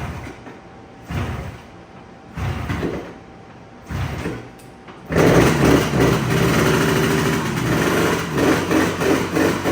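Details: Yamaha RD350 two-stroke twin, abandoned about 10 years, first running on premix from an external tank. After a few failed tries it catches and runs with an uneven, lumpy pulsing beat. Mostly firing on the right cylinder only, the left occasionally catching.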